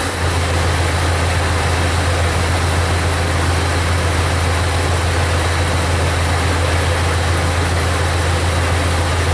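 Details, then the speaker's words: 2000 Jeep Cherokee Classic 4.0L six-cylinder, about 130,000 miles, check engine light, P0300/P0306: uneven loping idle with a skip every couple of seconds, no mechanical noise; scan tool isolates the misfire to cylinder 6. "what's going on with these sitting there idling my ear it sounds like just one cylinder it's skipping and revving it up I don't hear anything mechanical in the sense of you know a rod coming through the side of it or anything"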